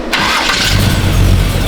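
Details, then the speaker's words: Budget-build Camaro small block with new aluminum heads, new cam and about 9.5:1 compression, first idle start after cam break-in at 3,000 rpm: brief crank, then catches at once into a deep, even, choppy rumble; clean, healthy start. "Starts up. No problem. Oh, dude. Sounds sick, dude. I am super happy about that. We got a choppy Camaro now."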